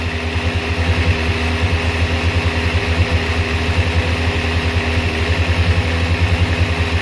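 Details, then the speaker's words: Kawasaki ZZR600/ZX6 after fuel filter change (rusty tank clogged it), warming on choke: fast choke idle with a slightly lumpy, wavering beat; carburetors still slightly out of sync. "this is still slightly out of sync so we'll address all that i just want it to warm up slightly and then we'll come off the choke and i'll see exactly how much i have to do"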